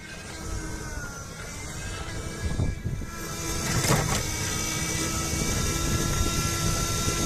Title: Meyra Ichair basic weird noise from motor (v2)